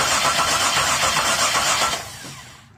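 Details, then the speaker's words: 2002 Chevy Monte Carlo no-start after sitting a month: starter cranks evenly about four turns a second with no firing; moving the wires over the ignition control module made it start, a wiring fault at the module. "so i move the wires over the module and it started working i've never had a bad module do that never"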